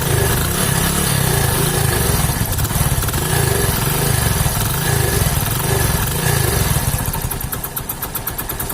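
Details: Hero HF Deluxe single-cylinder with crank-like noise, typical after about 3000 km; uneven loping idle with rough clattering beat, two to three per second; damaged piston leaking compression.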